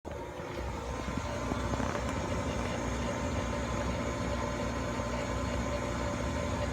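Steady low rumble with a faint droning hum underneath as the blower runs; the furnace blower motor is running rough, cause not yet found.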